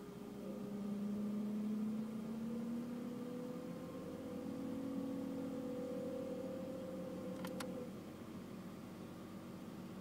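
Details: BMW E60: a steady whine over the running engine whenever the air conditioning or heating is on, gone when they are switched off; it rises and falls with engine speed.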